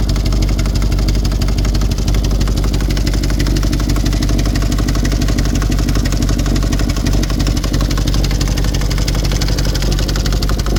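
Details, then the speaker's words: 4.2L V8 VW Touareg that shut down mid-drive after off-roading, with oil pressure and coolant warnings and no unusual fault codes; it starts but idles under a loud, fast, uneven clatter from the top of the engine, with smoke from the bottom. "It will start up, but it is noisy as hell. So I'm going to have a look at it. Sounds like it's coming from the top of the engine, but it's smoking from what looks like the bottom."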